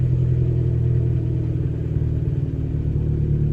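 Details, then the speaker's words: Abarth with Monza exhaust, no back box, cold start: deep steady exhaust rumble as the high cold idle revs drop and settle; runs smoothly, the owner's occasional cold-start metallic clanking not heard here. "the cold stter has just started to drop you know when it goes from high Raves to"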